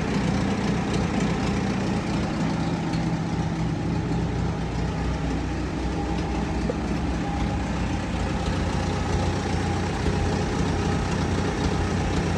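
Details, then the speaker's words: Old Farmall tractor, about a 1948, ticking over at a steady, even low idle with no knocks or stumbles; a healthy idle. "It's always a good day when we get something running. Yeah."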